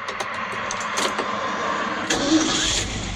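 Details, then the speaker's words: 1972 Ford F100 after swapping a bad 300 inline six for a 302 V8, with brake work done: a few cranking clicks, then the V8 fires about two seconds in and runs evenly without misses, "smooth as eggs"; a healthy start. "oh yeah she's running smooth as eggs sounds"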